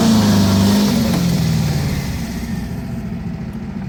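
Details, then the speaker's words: 1977 VW Brasília 1600 air-cooled after cylinder-head repair, Solex 32 carburetor with 28 mm venturi on old 34 mm base, stock cam and compression, tuned for full throttle without bogging: hard pull with strong even drone, pitch easing off without stumble; normal acceleration. "Então essa configuração que eu fiz aqui ela é uma configuração visando o desempenho você pode atolar o pé com vontade que ele não vai embolar ele vai funcionar retinho pelo menos a expectativa é essa"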